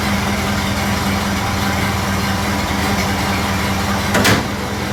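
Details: Model A Ford after exhaust manifold gasket replacement: slow, steady four-cylinder idle with even low hum, no ticking or puffing at the manifold; sounds healthy.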